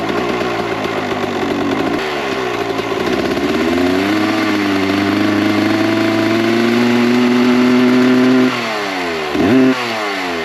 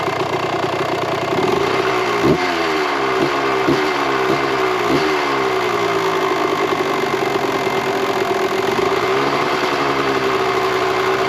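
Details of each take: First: 1998 Kawasaki KX125 two-stroke on its rebuilt OEM carb with stock jetting, believed to be 42 pilot / 160 main: blips and holds mid revs with a burbly, uneven note that falls back lazily, smoky; too rich, so jets go down to 38/158. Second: 1998 Kawasaki KX125 two-stroke after carburetor re-jetting, idle screw turned out to lower idle: crisp idle with clean even throttle blips; sounds good, runs good, considered dialed in; normal idle and revving.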